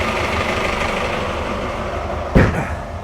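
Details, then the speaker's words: Sealine S28 boat engine at tick-over with the engine bay open, comparison after soundproofing: loud steady low rumble with busy mechanical clatter and one handling bump; normal idle. "ridiculously loud, I'm afraid, but that is just on tick over like this."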